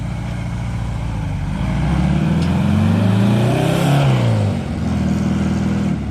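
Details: Porsche 914 with freshly installed 2-liter engine, cold start after new motor fitted: fires and catches, revs climb then settle into a steady, even idle, no knocks or misses; healthy normal cold start idle.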